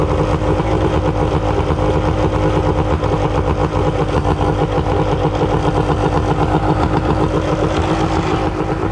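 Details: Suzuki DT65 outboard, non-runner with backfire history, just started: fast, uneven popping idle with wavering beat; rough idle, owner unsure of cause, adjusting idle screw.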